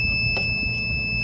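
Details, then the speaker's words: Chicago Electric 500 A Harbor Freight tester at full knob on a not-so-healthy EverStart 29DC 12 V deep-cycle boat battery (twin 454 gas engines): continuous shrill tone over a low hum, the overheat alarm telling you it has heated up; back off the current. "Alarm goes off, telling you it's heated up. Back off the current."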